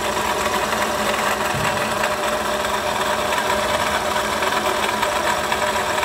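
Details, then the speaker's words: Toyota Sienta at idle, owner complaint of rough engine noise; oil pressure OK, steady rough gritty whirr dominant at the water pump area, no knock rhythm; worn water pump bearing, water pump replaced. "untuk suara kasar lebih dominan di area water"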